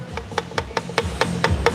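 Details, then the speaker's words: BMW 335i N54 water pump, removed and turned by hand; sharp evenly spaced clicks about five a second, loose and rattly; pump judged worn out; water pump rattle. "Water pump's not supposed to do that. I think this water pump took a El Dumpo."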